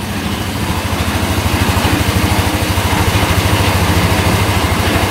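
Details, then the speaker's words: Yerf-Dog Scout 4x2 UTV, sat outside for years, after replacing the broken tank pickup hose: running off choke and warming up, even low putter about 200 pulses a minute with no skips, clean quiet idle. "you can let this thing warm up for a little bit well it looks like we got the uh the pump issue fixed sounds pretty good pretty quiet"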